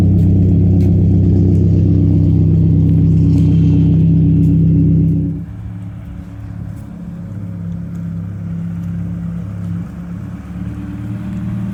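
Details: 1992 Saab 900 naturally aspirated 2.1 after new welded exhaust replaced the leaking old one: deep, even exhaust note revs up cleanly, drops to quiet steady idle, no leaks; slight startup rattle was an unadjusted exhaust hanger, since fixed.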